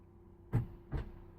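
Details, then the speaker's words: Land Rover Discovery 3, both key fob buttons pressed: two dull clunks, first the door locks, second the slower tailgate actuator/solenoid; actuator fires but the tailgate latch doesn't release, won't open with handle. "And there it went. It was a bit slow, but the second clunk was definitely there. So anyway, that didn't work, which was a bit annoying, but there is another method."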